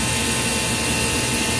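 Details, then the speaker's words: Ice machine not making ice, after a new control board was installed and relays enabled: steady, even roar of the compressor and water pump with no knocks or rattles, running normally. "and the compressor is definitely running so everything for the most part looks like it's probably working"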